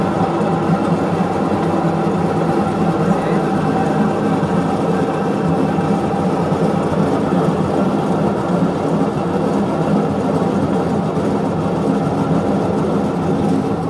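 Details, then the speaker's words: Westinghouse washing machine, repaired several times over six months, during spin: loud steady droning roar with humming tone that worsens as speed rises, basket turns both ways, leaks a puddle of water; worn transmission. "Ahí bota el agua. ¿Sí ven cómo suena horrible? Y aparte dan el charco de agua."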